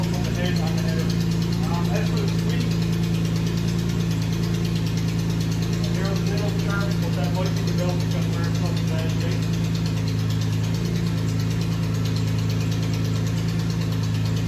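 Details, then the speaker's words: BMW E46 M3 at idle after belt reinstallation: fast, light, unevenly spaced ticking over a steady idle hum; owner suspects an exhaust leak, unconfirmed, and hears a slight squeak afterward. "So I'm going to start it up, we'll see if we can hear anything, and then we're going to go for that exhaust leak. You can really hear that tick"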